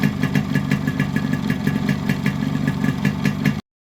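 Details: Modified Yamaha RX100 two-stroke with imported carburetor and Indonesian RX King CDI wiring alteration, idle and revving: crisp even popping at a steady quick beat, no misses or stumbles; running cleanly.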